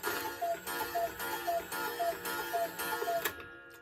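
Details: Bachmaier & Klemmer cuckoo clock, late 1950s, after repair, rehung on the wall with hands advanced; the door now closes consistently and the bird bobs. A clear two-note cuckoo call repeats about five times at even spacing, crisp and steady; normal.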